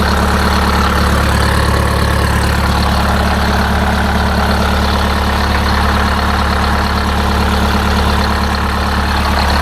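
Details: Detroit Diesel 8V-71 idling after a new starter (part 6924N) was fitted: steady, even idle with a smooth low drone and no knocks or stumbles; engine sounds healthy.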